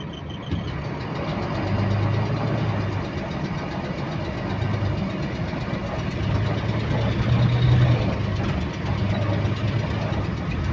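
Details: Diesel bus GAL WVL358 on route 486: engine drone with a fast, uneven light clicking, roughly three or four per second, in sync with engine speed; source unknown.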